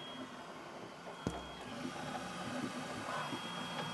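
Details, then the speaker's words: Flashforge Adventurer 5M Pro CoreXY printer on first layer, part cooling fans off, mic held to printer: stepper buzz and chirps under thin high whine, one sharp tick; normal mechanical printing noise. "it's typical for printers to not have any part cooling fans turned on so this is what it sounds like when you're just dealing with the mechanical noises of the printer"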